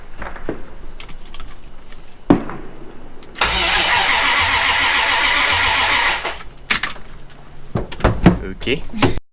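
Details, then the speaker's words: Jeep ZJ with manual V8 swap, new rewired starter, clutch in: starter spins the V8 steadily about three seconds with no firing; no apparent spark, fuel line unhooked earlier. "well the starter works it didn't sound like there was any spark though i did unhook the fuel line earlier so maybe that's part of it"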